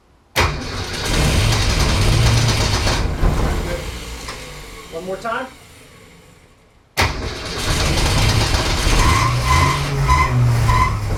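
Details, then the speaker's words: Newly rebuilt '65 Ford Falcon engine, restarted with carburetor mixture turned down and fuel slowly added while cranking; cranks, catches, dies, then fires again and settles into steady even run, normal start before 2000 rpm break-in. "hold it right there ellie we did it now that car was finally on it was time to break in the engine"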